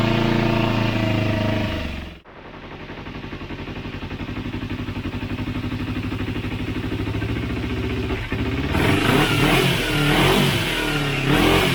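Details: Motorcycle after a second carburetor cleaning with a home-made cleaner (cables not yet fitted; it previously died on quick throttle): steady even idle beat, picks up cleanly as revs rise, no stumbling; normal running.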